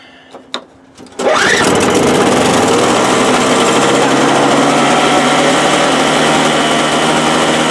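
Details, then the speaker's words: 1984 Craftsman 5/21 snow blower after new carburetor fitted, pull-started on half choke with a bad electric starter: engine catches and settles to a steady, even high-pitched drone with no misses, tines spinning; runs good, slow to shut off. "it runs good takes it a while to shut off but runs good the tines are spinning"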